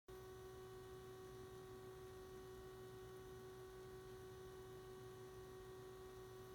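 A steady mid-pitched electrical hum with a faint buzz holds constant throughout, coming from the scanner while it sits idle.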